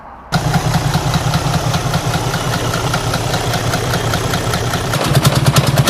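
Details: Detroit DD13/DD15 diesel at idle: hollow, regular knock about three times a second over the rumble, from a hollow camshaft's lobe not fixed to the shaft rotating loose; camshaft lobe failure, repair is camshaft replacement.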